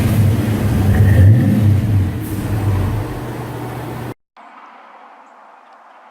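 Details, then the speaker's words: Car with front accident damage, awaiting a replacement airbag: a strong, even rev rising and falling cleanly with no knocks or misses. Finding: healthy engine revving. "Wow well darn sounds good"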